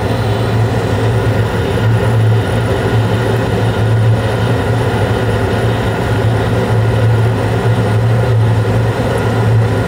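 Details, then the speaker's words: Carrier Infinity 96 (58MVB) gas furnace in 2nd stage with burners lit, blower starting after about a 30-second delay: steady low hum with even airflow rush, no knocks or rattles; running smooth, normal. "And then you'll hear the blower come on after about a 30-second delay. Looks like it's still running smooth."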